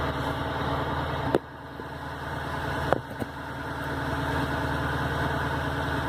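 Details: 2003 Ford Crown Victoria LX, bone stock, rough idle like a cammed motor: uneven, loping idle pulsing about three beats a second with a couple of sharp clicks; owner suspects warped OEM intake manifold, not confirmed.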